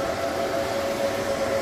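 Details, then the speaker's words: Parallel EG4 6000XP inverters at full overload, about 100% per leg (12,000 W), battery draw about 260 A, no grid fallback: loud steady cooling fan roar, constant mid tone, no surging; one unit slightly louder than the other two. "so you hear the noise that one's go 12,000 watt these two are pushing 12,000 Watts those are quieter that's louder but not by much"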